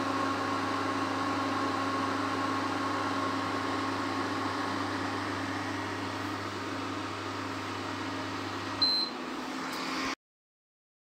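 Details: Prestige induction cooktop after replacing the faulty high-voltage resistor that caused E4 error and no heating: even low hum with soft fan whoosh, brief beep near end, then clean cutoff; working normally.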